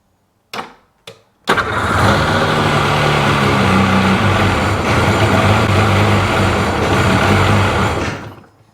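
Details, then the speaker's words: 2005 Sea-Doo 3D (787 RFI) cranks twice, catches and runs rough about six seconds, then revs sag and it stalls at idle; owner suspects MAP/air-pressure sensor or wiring corrosion, gauge reading low, cause unconfirmed. "It's going to drop way down. Yeah, no good."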